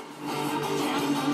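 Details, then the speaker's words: Polytron GV502I compo after repair, which had powered on with no sound from a shorted 100uF/16V electrolytic capacitor cutting voltage to the 4558 op-amp IC, now replaced: clear radio music at steady volume, no hum, crackle or dropouts; audio output normal. "oke ya sudah jadi ya masalah ini udah clear Ya udah clear"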